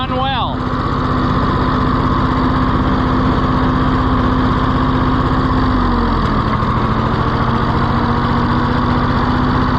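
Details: Neglected auction Ford 4000 three-cylinder tractor at first start, flooding: chugs at fixed speed with uneven beat, dips once, never picks up; no throttle response, governor seriously wrong, carburetor butterfly in poor shape.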